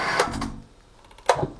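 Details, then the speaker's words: Booster pump set with bladder tank and pressure switch (cut-out near 4 bar, cut-in near 2 bar); pressure also rises very fast. Dry switch clicks in a quiet room but the pump motor never starts; the pressure switch is dead and not engaging. "Et là, il n'a pas enclenché encore. Je suppose que vous avez entendu le clic. Donc, le contacteur manométrique est HS."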